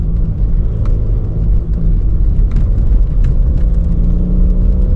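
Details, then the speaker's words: Mk5 VW Golf GT TDI on first drive after repairs: heavy diesel rumble, stumbling uneven beat, misfiring badly, jolting, no boost at all and smoking heavily; owner suspects the turbo has blown. "And it's got no boost. There's literally no boost, and it like keeps jolting, and it's starting to smoke again."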